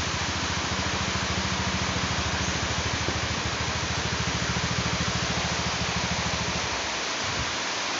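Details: Honda Scoopy scooter after crankshaft bearing replacement; it was noisy after riding through flooding: even, regular engine pulse that winds down cleanly, no knock or rattle, now running smooth.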